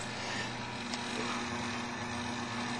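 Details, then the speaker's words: Buchi R-205 rotary evaporator with B-490 bath, motor turned up to about 155 rpm: a quiet, smooth, steady low hum with no rumble, ticking or squeal, so the motor and bearings run cleanly. "turning the rpms up to about 155 the motor sounds good the bearings sound very well down"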